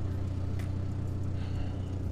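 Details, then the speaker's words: Turbo four-cylinder GSX after five weeks sitting, fresh oil, logged with ECMLink; low, steady, smooth idle with AFR 14.6–15.1, no misses or ticking; idles cleanly. "obviously the driver's side door is open and the e-brake's on so i've got a couple of those lights lit up but other than that sounds really nice"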